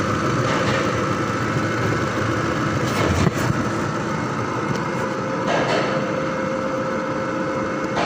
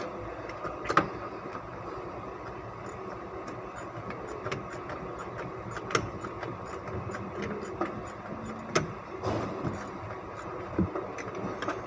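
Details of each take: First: 2005 Ford Expedition V8 after replacing four ignition coils and cleaning spark plugs for misfire: steady even idle with no stumble or uneven beat over road noise; normal idle. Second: 2005 Ford Expedition V8 at idle before ignition coil replacement and spark plug cleaning: steady idle broken by irregular sharp pops and stumbles every second or two; misfire from failing coils.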